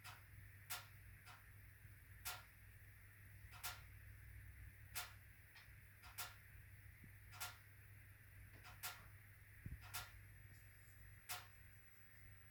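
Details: HWAM Wiking Mini 2 wood stove (replacement unit, automatic air control adjusted): loud, sharp ticks about once a second over a low hum during burn, banging for about 45 minutes; owner suspects bi-metallic coil spring hitting a mechanical stop.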